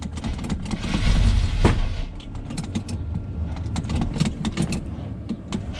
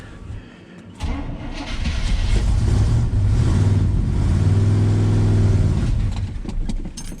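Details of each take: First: 1976 GMC C15 Squarebody, long-abandoned, cold start at 13 degrees: sluggish, uneven starter chug about four turns a second with rattling, no catch; slow cranking, weak battery suspected, started after charger boost. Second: 1976 GMC C15 Squarebody V8, long-abandoned, after battery charger boost: brief cranking catches into a strong low rumble that revs and settles evenly; normal start, just needs choke adjustment.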